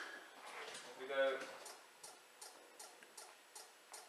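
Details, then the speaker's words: Range Rover L322 after LED number plate lamp upgrade and disabling cold monitoring, ignition off then on: soft evenly spaced clicking about every 0.4 seconds from rear, the normal rear light bulb test; no fault. "yep nothing you can hear the rear light clicking which is a rear light BB Test but no there's nothing"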